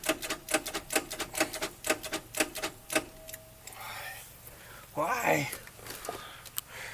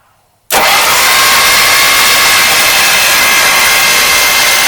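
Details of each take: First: 1953 Oldsmobile Rocket Super 88 barn find: rapid dry solenoid clicks, about four a second, starter never engages or cranks; one plug out and grounded for spark test. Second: 1953 Oldsmobile Rocket Super 88 barn-find engine, valve covers off and spark plugs removed, cranked by starter: abrupt engagement then even, fast whirr without compression pulses; turns freely, loosening up gradually.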